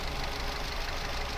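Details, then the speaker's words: 2018 Daihatsu Terios, unused for a week, warm idle: uneven, slightly lumpy with a faint ticking over a low rumble and abnormal engine shake, rougher when cold; possibly valve-related, not confirmed. "Ini bisa dari klepe bisa. Oh. Ini agak pincang masalah ini."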